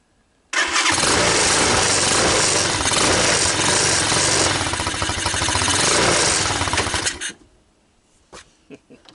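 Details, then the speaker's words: TaoTao ATA200D ATV: after stalling in gear it restarts, buzzes roughly for about six seconds, then fades and dies, even with a little more throttle; stalling after restart, owner suspects intake manifold leak. "So it seems to run, and it seems to move, and it seems to stall. What my thoughts are is it might possibly have an intake manifold leak here."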